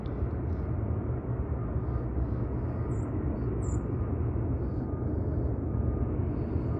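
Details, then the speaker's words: xAI gas turbine power plant, Southaven MS (17–18 "mobile" turbines), recorded Dec 31 5:30pm from a backyard about 3,000 ft away: steady low fan-like rumble, no high-pitched whine, normal continuous running drone heard 24/7. "It's just the other noises, these very large, quote, mobile, end quote, turbines that they're using there. They're very large pieces of equipment."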